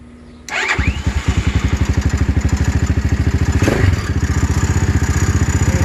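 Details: Venom X22R 250 single-cylinder motorcycle, still on break-in, with a new 4-degree flywheel key advancing timing and Valvoline 20W-50 oil in hot weather: fires on the first try and settles into a steady, even thump of about ten beats a second.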